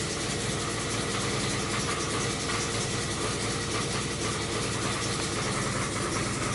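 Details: 2005 Chrysler 300C 5.7L Hemi after rebuild: steady V8 idle with a hard, rhythmic knock in time with engine speed, sounding like rod knock; cause unknown, noise earlier heard around cylinders five to seven.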